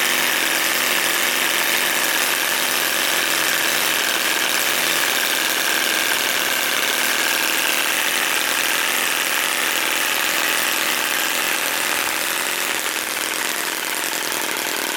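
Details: Musa Hoglet air-cooled two-stroke V-twin model engine (0.6 hp, oil-mix fuel, 18650 battery pack and CDI ignition, belt tensioner) just kick-started; busy high-pitched buzz at even steady speed, no knocks or misses, running normally.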